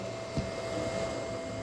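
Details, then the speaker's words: Budget gaming PC running Remnant 2, phone held near CPU cooler, GPU and power supply: loud steady rushing air with constant whine and hum; loud fan noise, owner suspects the power supply. "This is actually surprisingly quiet for this computer. Um, oddly enough, yeah, this is still quite noisy."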